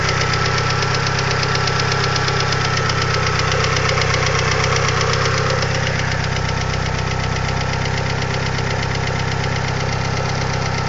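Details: 2G DSM at idle: light ticking of about two or three clicks a second throughout, a noisy hydraulic lifter, later fixed by installing upgraded TOPLINE 3G lifters.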